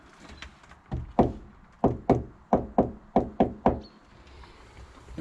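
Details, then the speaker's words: Knock test on a Peugeot Expert van's rear wheel arch panel, being converted to a camper, just after Dodo mat sound deadener was applied: about eight short, dead knuckle raps with no ring. The deadening is working. "So let's do the sound deadening test, the knock on it, and see how much that's deadened compared to the other arch."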